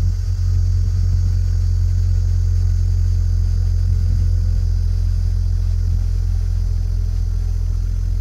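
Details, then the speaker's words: BMW E46 3 Series just after fuel pump replacement and priming: engine started and left to idle, steady even low rumble with no misses, knocks or ticks; normal idle. "all right turn the car on just to idle for a little bit and everything was okay"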